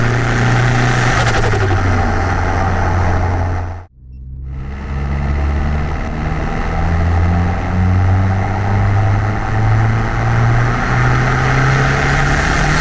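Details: Car fitted with a new MRP 3-inch aluminum MAF housing, after the earlier breaking-up was apparently fixed, warming up: even, steady idle with a clean low rumble and a brief smooth rev blip, no hesitation; normal idle and revving.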